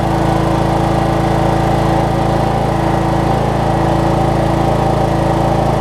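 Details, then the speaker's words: Cub Cadet riding mower, Kohler Courage single-cylinder, first start after a HIPA carb kit fixed a leaking carburetor: even steady chugging, no misses or surging; runs very well. "Best running Kohlers I think I've ever seen."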